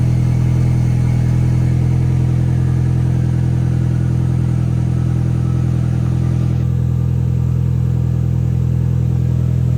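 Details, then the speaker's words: 1.8T first start after rebuild, timing set at 16 rollers between marks (17 was wrong): steady, even idle with no missed beats, a faint light tick, and a little oil smoke burning off. Normal idle, no misfire. "holy idling perfect a little bit of smoke burning off from some oil there but it's like has a tiny bit of a noise the man runs way better goalie not a single misfire"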